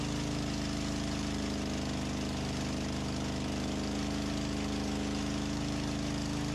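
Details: Antique farm loader, first start indoors after engine reinstall and hydraulic system repair, fuel system possibly primed with bubbles rising in the clear hose: steady low note, even firing pulses, no knocks or misses, running smoothly.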